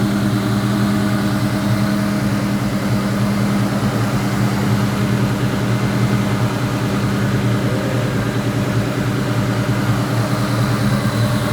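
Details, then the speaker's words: 2003 Ford Mustang SVT Cobra Terminator V8, just started and still warming up after an NGK TR6 spark plug change, fuel pressure sensor also changed, previous WOT issues: steady, even idle with an occasional small bloop, no misses or ticks; normal idle. "Alright, so it seems to be idling about the same as it was before. Does that like little bloop thing every once in a while. Which I mean, it sounds okay from the outside."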